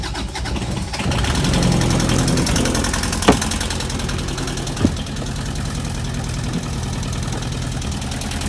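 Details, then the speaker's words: Boat diesel engine after a fuel line air leak was repaired and the system bled: fires after a brief crank and settles into a steady idle with no stumbling or hunting, running over 20 minutes without a hiccup; normal start. "so it ran for over 20 minutes without a hiccup of any type i'm very happy about that"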